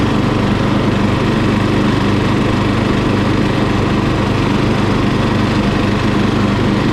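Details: Murray lawn mower single-cylinder engine, just after carburetor cleaning for dirty fuel (float and needle fine): steady, even drone at constant full throttle with no misses or surging; running cleanly and healthy.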